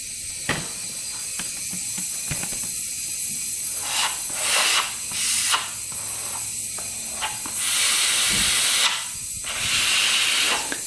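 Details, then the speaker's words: 2001 Honda 400EX quad that won't start, leakdown test at 20 psi: air hisses steadily from the exhaust, a little from the intake; bent exhaust valve, possibly a bent intake valve too. "so we've got a bent exhaust valve is coming from anywhere else here no a little bit from the intake so maybe a bent intake as well"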